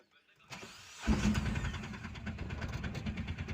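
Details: Mahindra Jeeto diesel with the DEF chemical reported run out and being refilled: the starter turns briefly, then the engine catches at once and settles into an even, steady clatter, a normal start.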